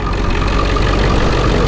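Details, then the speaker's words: Ford 7.3 Powerstroke diesel idling during oil-cap blow-by check: steady, even low diesel rumble, no knocks or misses; a little tolerable blow-by. Normal idle, healthy motor. "there's a little bit of blow-by but this motor is pretty dang healthy guys I'll tell you that much"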